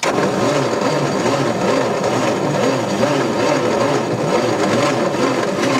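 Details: Allis-Chalmers FB20-24 forklift, engine turns freely after head work, around 30°F, ether used, battery getting weak, spark unconfirmed: starter grinds with an uneven rising and falling churn that never catches; cranks but will not fire.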